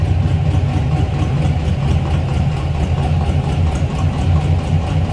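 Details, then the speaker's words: 1955 Ford F100 short-box pickup with side pipes under the running boards, idling in neutral after an easy start: deep, steady, evenly lumpy rumble, no knocking or ticking; normal idle. "Starts easily. Of course, a little rumble coming out of those side pipes."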